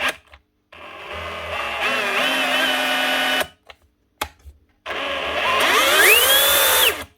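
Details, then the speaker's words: Dewalt cordless SDS drill on trigger test: two bursts shrieking to a very high, climbing pitch; motor overspeeding, controller problem suspected, not confirmed. "Whoa, hyperspeed. What is going on there? Something badly wrong there. That's running way too fast."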